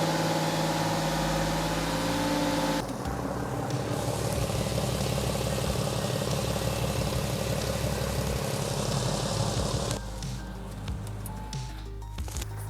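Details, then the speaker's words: Porsche 911 (996) flat-six after water pump replacement, cold day: smooth, steady idle with even low burble, no knocks, squeals or stumbles, no leaks; fans not yet kicking on, thought too cold outside; healthy idle. "No leaks, runs good. I can't get the fans to kick on right now. I think it's just too cold outside."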